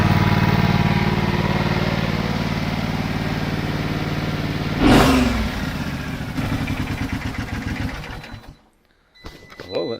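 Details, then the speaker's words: MTD twin-cylinder ride-on mower, sat outside five years: steady, even twin beat with no missing or knocking, then winds down. Good compression, plenty of grunt, a little smoke, probably oil. "oh that sounds great good compression plenty of grunt"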